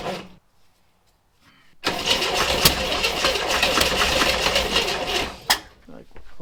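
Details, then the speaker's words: 1962 Chevrolet Corvair off the road 30+ years, distributor/plug wires adjusted for more advance, extra gas poured into the carb: starter spins it steadily about four seconds at a quick even beat, seemingly wanting to fire but never catching and running. "A little bit more go juice. Oh, man, she wants to."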